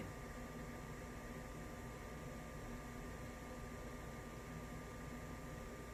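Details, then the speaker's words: Goodman furnace after replacing the blower motor that had screeched loudly: steady, even blower hum with a faint constant tone and no screech or rattle, running smoothly. "i fixed it listen to that baby hum [Music] yup so it's working good"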